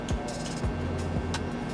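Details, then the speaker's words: Norco XFR bike, mechanical disc brake adjusted correctly, wheel spinning: light scraping swish about every 0.6 s. A slightly warped rotor is rubbing; it can be straightened. "so the brake itself is adjusted perfectly there but that noise you're hearing that that's a little bit of a warp in the rotor"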